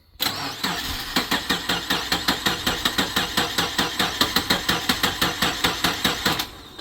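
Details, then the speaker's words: Car just reassembled after repairs: steady starter chug, about two and a half compression strokes a second for six seconds, no firing; it runs on starting fluid, so the tank is suspected to be out of fuel. "But it's wanting to run off the starter fluid, so hopefully it's just out of fuel."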